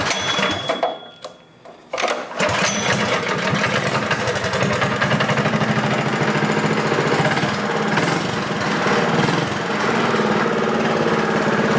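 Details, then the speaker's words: BMW small single engine after chain service; 8° advanced timing key, 1-inch header and muffler, venturi with filter: quiet spell, then fires into quick even buzzing idle, sounds healthy. "all right sounds healthy with that muffler that's for sure"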